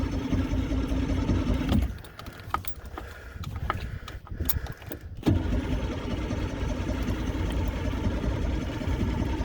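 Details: Vintage boat engine, first start in over 20 years after sitting, on the lake with primer bulb pumped and choke in: uneven cranking chug stops and resumes but never fires. Owner suspects it isn't getting enough fuel yet.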